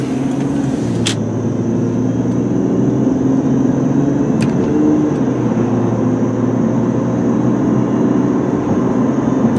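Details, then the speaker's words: 2004 Chrysler Sebring LXi sedan with 120,636 miles on a test drive at about 55 mph: even steady engine and road drone with a stable low tone, no knocks or whine; normal smooth cruise. "Alright guys, there it is again, all the way up to about 55 miles an hour, nice and smooth."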